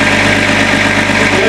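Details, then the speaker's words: Range Rover P38 at startup idle with a constant coarse rattle and hum that persisted after a new water pump and belts; the cause turned out to be the crank pulley. "But unfortunately, even after changing the water pump, we still had a horrible rattle."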